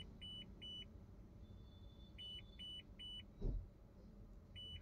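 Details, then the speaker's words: Maruti Suzuki Baleno idling in reverse gear: high double beep repeating about every half second from the left side, warning that a rear bumper parking sensor, damaged by an impact, has failed. "जैसे ही हम back gear को shift करते हैं left side से warning indication beep करना start हो जाता है"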